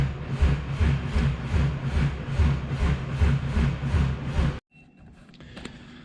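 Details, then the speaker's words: Fully built Subaru EG33 H6 turbo engine before its first start, cranked with injectors and coils unplugged to prime oil to the turbo feed line: even starter cranking at about 2.5 compression pulses a second, never firing. "i think i'm just going to unplug them all so they can't fire and then crank it and try and prime it"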